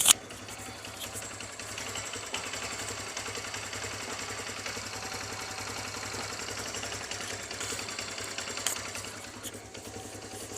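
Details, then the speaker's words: TVS Star City Plus 110cc BS6 motorcycle after repair of a loud engine rattle, with both rocker arms and timing parts replaced: fast, even light ticking at steady idle, no rattle left, top end sounds healthy. "Engine का sound जो है 100% remove हो गया अब engine से बिल्कुल भी जझत का साउंड नहीं ए रहा है"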